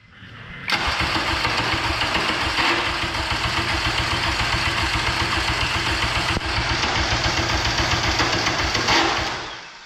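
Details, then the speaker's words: K24 all-wheel-drive Integra on a FuelTech FT600 ECU: steady cranking about three to four beats a second for nearly ten seconds, never catching; crank no start with no spark, owners suspect cam sensors, plan swapping in a K20 sensor. "it's 2 25 in the morning we're gonna call it a night we cannot get this to start we think it's something to do with the cam sensors so i'm gonna pick up my k20 sensor tomorrow swap it out"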